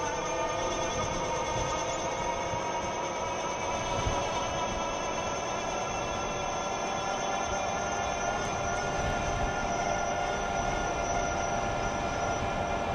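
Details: Older Euphree Stellar Falcon e-bike on throttle at about 24 mph, microphone on rider's chest: constant layered hub motor whine with light road rush underneath; normal though fairly loud motor noise.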